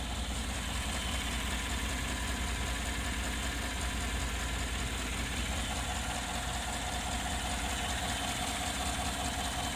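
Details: Engine idling with the hood open: a steady idle with a faint, uneven ticking two or three times a second over the engine hum; something sounds off, cause unclear.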